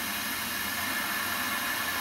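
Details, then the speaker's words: Old CRT TV after its broken speaker was replaced: a steady, even static hiss with no crackle, rattle or buzz, and the volume works. The new speaker's output is normal. "Look at that. sounds wonderful. Volume works."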